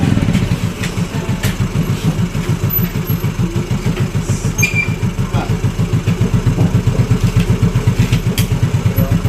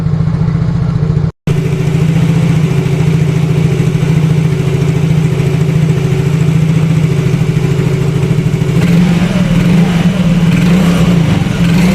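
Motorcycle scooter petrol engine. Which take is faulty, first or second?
first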